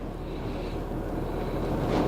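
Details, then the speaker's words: 2004 Acura TL 3.2 V6 after replacing a bad ignition coil found by swapping coils for P0300 misfire: steady, even low idle hum, no stumbles, misfire counts zero; normal idle after repair. "yeah it is good now a while ago it was so rough"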